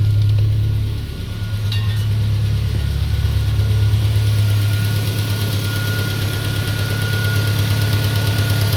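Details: Peugeot 407 2.2 petrol at cold idle, after ring replacement, valve lapping, new valve stem seals and cleaning of extra-air channels, Total 9000 5W40 oil: steady light knock about three per second over a smooth low hum; source unidentified.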